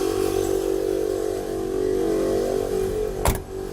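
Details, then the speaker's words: 1998 Chevrolet Blazer air-ride compressor, newly wired, filling the tank (about 2 minutes expected): steady mid-pitched motor drone with even buzz, no knocking or straining; compressor running normally. "That should take approximately 2 minutes to fill that tank."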